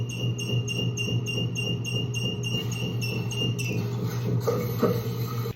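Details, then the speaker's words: Toilet fill valve gives a loud, low steady honking squeal pulsing about three times a second, like a treadle sewing machine; caused by the warped rubber disc inside the fill valve. "kind of sounds like one of those old foot pedal sewing machines your grandmother used to have or something like that. It did make a sound. But what causes that? What causes that is inside that fill valve, there's a little rubber disc."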